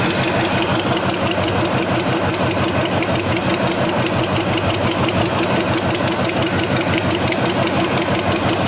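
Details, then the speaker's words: Neglected Chevy C10 with a once-seized 5.7L 350 V8, idling on first start: sharp, rapid puffing tick over the exhaust note. Exhaust leak, source not yet found. The engine also won't idle down and has a transmission line leak. "Still got an exhaust leak. Got to figure out what I'm coming from somewhere over here."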